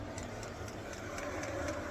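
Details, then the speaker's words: HCALORY 8kW diesel heater, about a minute after first start, heard at the exhaust: quiet steady hiss and rumble with a faint regular pump tick; burning evenly with some smoke, strong heat output. "But the heat that's coming out of that is, I'm going to be sweating in ther"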